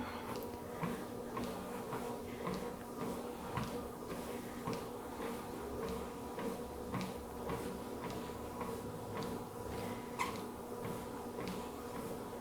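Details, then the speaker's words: Wellfit TM029 compact treadmill incline rising (10 levels, top just under 11%): quiet, steady motor hum with soft ticks about twice a second; incline adjusts slowly but smoothly and stably, healthy incline motor. "So it is a little bit slower to adjust the incline, but it feels super stable, which is something I really appreciate."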